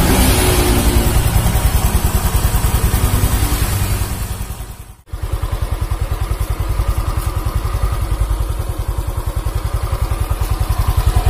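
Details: Honda Vario CBS 125 injection scooter after repair of an oil-starved seized engine, radiator refitted, idling: steady, even low thump about three and a half beats per second, no knock or rattle; normal, smooth idle.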